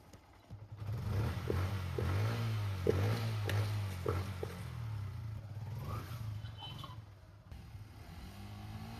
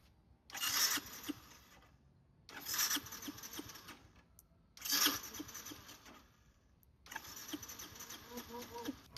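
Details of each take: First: Yamaha Byson carburetor motorcycle after carb repair and an oil flush and change: low, steady engine rumble with a few throttle blips, no knocking or rattle; runs normally after service. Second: Yamaha Byson carburetor motorcycle, carburetor leaking/flooding after a battery change, cranked after carb reassembly: four short starter bursts that never fire; no-start, so next the pilot and main jet are adjusted and the spark plug is suspected.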